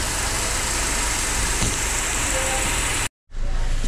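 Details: Mercedes with 271 engine at idle; owner reports shaking when started cold in the early morning: steady, even hum with no stumble or shake in the rhythm; the engine runs smoothly.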